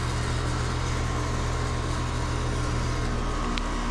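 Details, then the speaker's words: Air-conditioning condenser fan motor on a system that wasn't keeping up, with pressures too close together: a steady low hum keeps going after shutdown and speeds up on command instead of coasting down; something still powers it, cause not found. "That that motor should not be running. I mean, that's that's kind of And watch this. I'm going to If y'all hear that, it it speeds up when I do that. That thing's supposed to be slowly coming to a stop."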